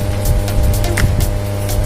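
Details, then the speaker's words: JMK amplifier with a steady low, buzzy mains hum under the sound, not clean; a filter capacitor on the -12 V tone-control supply has a broken leg. "Sebuah ampli ini mengeluarkan suara berdengung, kata pemiliknya. Nah, bisa sahabat dengar. Di sini memang ada mengeluarkan suara dengungan."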